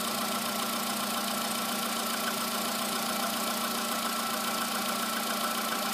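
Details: VW Polo sedan cold morning start, under 9000 km after replacement with modified ET pistons, oil changed 5000 km ago; steady mechanical tapping about two per second over the idle, knock cause unconfirmed.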